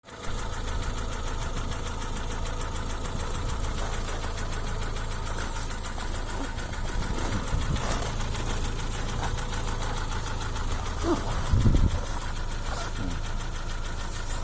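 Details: Hyundai ix35 (X35) crossover, 2015, 2.0 engine, automatic, 4WD, 110,000 km: steady run with a loose, uneven ticking knock about four beats a second over the idle; internal engine knock.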